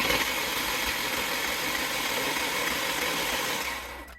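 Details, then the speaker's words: 1997 Ford, low-mileage LX/LXT with automatic, needing a new engine; after finding a broken piece, possibly valve seat, the engine cranks with zero compression: fast, even, light starter whirring with no chugging compression strokes, then stops. "H well this is how they sound with zero"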